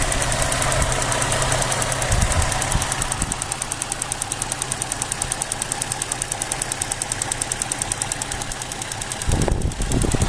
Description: 2007 Pontiac g6 Gtp ticking noise at idle.